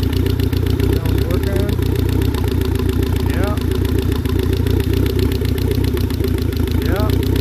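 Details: Steady, even low engine drone with no popping or misses, all four cylinders firing after the fouled spark plugs were replaced with new ones; the engine sounds healthy now.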